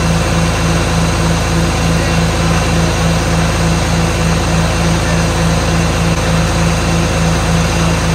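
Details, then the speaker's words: 1977 John Deere 4430 diesel tractor restarted after standing nine years: deep, even idle of about three beats a second, no knocks or misses; engine sounds good, the tractor's problem is an axle issue. "and it did sound really good but um let's face it it wasn't an engine issue anyway it was it's an axle issue"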